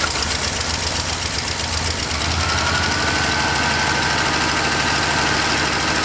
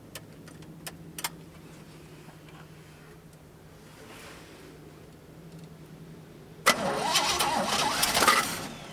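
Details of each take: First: Long-parked truck with GM HEI, its power wire fed 12 volts from a power probe while cranking: runs steadily at a fast idle with an even exhaust beat and no misses, until it runs out of gas. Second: Long-parked truck with GM HEI ignition and a swapped carburetor with electric choke: it cranks, catches and idles roughly only while the key is held in start, then quits on release; owner suspects an ignition problem rather than the carburetor.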